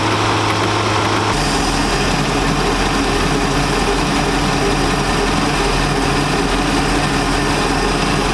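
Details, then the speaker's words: 1999 Chaparral 1930 SS with a Mercruiser, warmed up, idling in gear: rough, uneven chatter or clunking over the low drone from the outdrive/transom, with oil pressure good; owner wonders about an exhaust leak but doubts it; cause unconfirmed. "so i don't know man maybe it's an exhaust leak but i feel like if it was exhausted we'd have a bunch of water going in you know what i mean"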